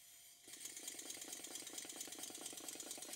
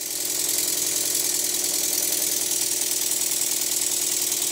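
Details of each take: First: Stuart model steam engine on total-loss lubrication, after a very fine adjustment made to cure a slight knock on one cylinder: quick, light, even exhaust chuffs about eight per second with no knock, running sweetly. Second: Stuart model steam engine after eccentric adjustment: brisk chuffs about three a second with slightly uneven spacing between beats. It runs evenly in one direction but not the other, so the eccentric valve timing needs a fine tweak.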